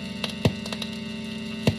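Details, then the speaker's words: Electric guitar, phone about one foot from the amp, with an EP Booster clean boost adding gain: constant low 60-cycle mains buzz with a few sharp thumps, ground hum blamed on noisy house wiring. "my wiring in my house is noisy there's nothing i can do to stop that other than buying a very very expensive power conditioner"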